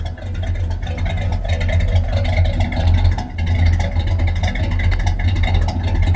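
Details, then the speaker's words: 1976 Chevrolet Chevelle Malibu V8 warming up at idle just after an Edelbrock intake manifold and Edelbrock four-barrel carburetor were installed, timing about unchanged: deep, steady, even rumble, no knocks or misses, cam-like sound; normal idle, air mixture still to be adjusted. "she sound like she got a cam right now I like that sound that carburetor and intake sure is changing it"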